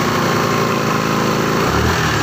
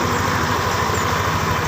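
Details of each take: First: Yamaha Lexi scooter after repair of a rough, growling CVT traced to the boss, reassembled and tested: steady engine hum, revs rising and falling smoothly, no growl or rattle from the belt drive; CVT noise fixed, normal. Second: Yamaha Lexi CVT, rear section: coarse, rough growl (ngorok) pulsing steadily at idle and sharp even when off throttle, coming from inside the CVT rather than the cover or plastics; worn pulley boss.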